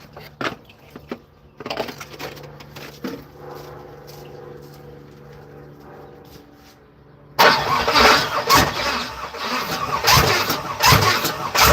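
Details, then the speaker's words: Third-gen (82–92) Camaro in neutral, starter fluid added: starter grinds engine over in labored chugs that almost catch but never fire; long crank, no start. Owner suspects starter needs shimming or flex plate replacement. "Almost turned over right there, almost. So we'll try this again."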